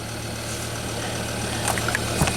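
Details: 2005 Volvo V70 with about 212,000 miles, towed in as a crank no-start, now running after a fuel-pump bypass test with the alternator full-fielded at about 10 A: low, even idle hum with a few light clicks and no misses or stumbles.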